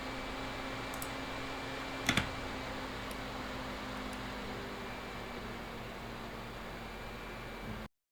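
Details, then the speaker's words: AMD Wraith Spire CPU cooler on a Ryzen 3600X in a tiny ITX case (AKLLA A4v2), under light everyday load: a loud, airy fan rush with a faint hum, later replaced by a Noctua NH-L12S. "my biggest bother has been the noise that the raid spire cooler generates you just like double click to open a folder and the thing goes haywire like a jet engine like a train on a hill"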